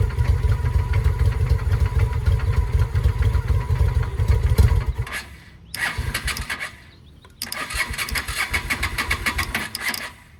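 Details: 2007 Honda Shadow V-twin after a new clutch: the starter cranks for five seconds, then two short, uneven stumbling attempts die away. It knocked earlier and seized briefly during an oil check while running; oil was drained. Won't run cleanly; cause unknown.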